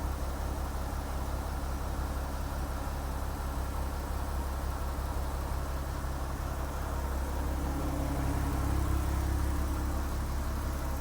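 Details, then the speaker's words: Porsche Cayman S 987 Gen1 salvage rebuild, just refilled with coolant: engine idles smoothly with a steady, even low rumble, no knocks, misses or surging, temperature holding at 80° with no air locks; normal idle. "so as you can hear it is running and it's sitting lovely at 80° so there's no air locks if there airlocks it would have spiked and gone right up and boiled over so I'm really happy with that and it just sounds so nice on idol smooth as a nut"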